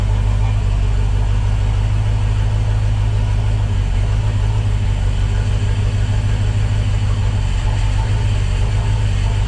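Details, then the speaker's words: Volvo Penta 5.0 GXi marine engine after new TPS and MAP sensor, injectors and compression checked, coolant 21°, 12.1 V: deep, loud, uneven lumpy rumble; ran somewhat better, then stalled. Rough running. "started seemed to run a little bit better than before"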